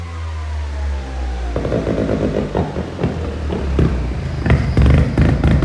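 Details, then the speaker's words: Mazda single-rotor rotary build during tuning: a smooth drone breaks into uneven pops and bangs that keep surging. It starts and runs but is still rough and needs more tuning. "it starts in it runs we still have more tuning to do because it does randomly but listen to this"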